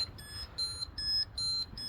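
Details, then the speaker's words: 2003 Gen E825 charging just after its batteries were topped up with distilled water: high-pitched beeps, about two and a half a second, alternating between two close tones, coming from the charger; the speedometer also fluctuates, fuses fine, cause unknown. "my batteries with um distilled water and it's making this noise right now. I don't know why. It's coming from the charger."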